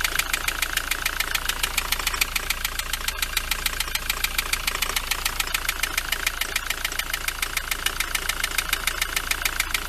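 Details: Ford Transit van engine idling with a sharp, steady knock about three and a half times a second, still present with the serpentine belt off; cause unknown.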